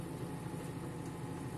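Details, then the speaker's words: Full-speed spin of a Turbo Drum 3 8.5 kg washing machine after reassembly with the belt refitted; before the fix it shook excessively. Now a steady, even hum with no thumping or imbalance knocking, so the spin is normal. "esperar que saque el agua y arranque el ciclo de centrifugado para mirar la diferencia en movimiento bien notamos que aquí ya va a toda velocidad"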